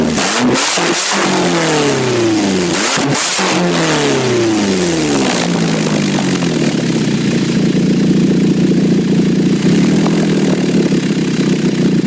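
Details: 2006 Nissan Altima: loud, raspy, motorcycle-like exhaust note through repeated revs, then a rough, loud idle; exhaust leak at the flex pipe.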